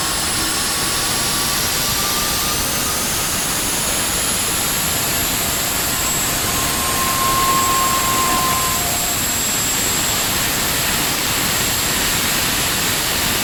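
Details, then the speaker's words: Honeywell GTCP 331-350 APU (1,400 hp turboshaft, Airbus A330/A340) starting in a test cell: igniter clicking, starter motor, then light-off and a steady turbine rush spooling to about 41,700 rpm, with inlet guide vane whistling; a normal start. "when it goes to start you will hear the igniter box uh clicking and you will hear the starting motor kick in and then we'll get an ignition and uh it'll you'll hear the light off"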